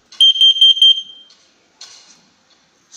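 Four quick, shrill high-pitched beeps, then a pause: a carbon monoxide alarm warning of dangerous CO levels.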